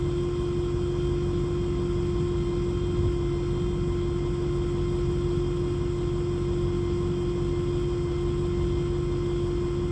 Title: Brand new Airdog lift pump loud noise. Recorded from rear left floor just above pump.